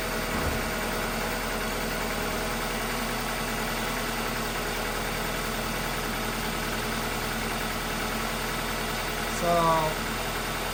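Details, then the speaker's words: 2-door Ford Escort with the AC compressor gutted into an idler pulley with a new bearing and stock serpentine belt refitted, earlier tensioner pulley grinding and squealing: smooth, even idle with a steady hum and no squeal, chirp or grinding. "That's the timing belt. We're looking at these ones down here. And it sounds pretty good."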